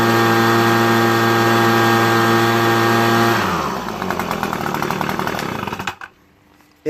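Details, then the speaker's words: Echo PB250 two-stroke leaf blower at full throttle after adjusting the hidden high mixture screw, slightly above stock: high steady clean wail, dropping away as throttle closes; normal run. "So it idles great when you start it, you know. So this is the highest I can get it."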